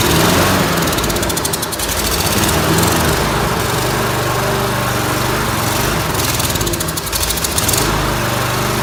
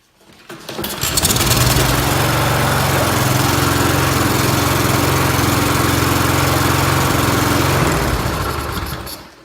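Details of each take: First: Briggs & Stratton lawnmower engine: loud rough running that surges and dips every few seconds; it runs a little if the choke is held shut. Lean running from a fuel problem, a dirty carburetor. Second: Briggs & Stratton mower restarted after carburetor cleaning fires up and settles into a steady, even drone at constant speed with no surging or misfiring, then shuts down cleanly; running well.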